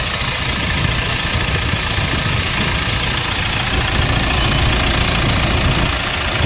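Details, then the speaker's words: 2016 Mitsubishi Montero Sport diesel, after replacing the failed alternator bearing: even idle clatter with no squeal or rumble from the accessory drive; the noise is gone, normal engine sound. "Ah binabay wala na po yung Wala na po normal na lang ng tunog ng makina"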